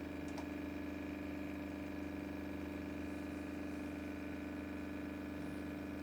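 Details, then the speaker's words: Nakamichi 481 three-head cassette deck, bought with previous failure, powered on with nothing selected while something smells hot: steady low motor hum with faint even rhythm; reel motor running uncommanded, play mode does nothing else. "Yeah, that's the real motor, all right."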